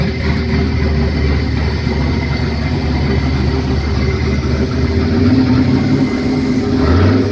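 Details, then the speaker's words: 1972 Nova with turbo LQ9 V8 on its first start: deep, fairly even idle with a low rumble that swells slightly toward the end, no knocks or ticks; sounds healthy. "All right, finally got to hear it run. It's a nice goal accomplished."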